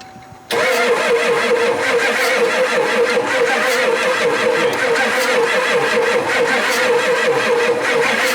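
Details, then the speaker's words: 7.3 non-turbo Power Stroke F-250 diesel sitting 10+ years: steady, even cranking that never catches, with fuel reaching only four injectors; one injector line spraying fuel while cranking, and they suspect the starter solenoid is overloaded. "all right so we got fuel to four of them"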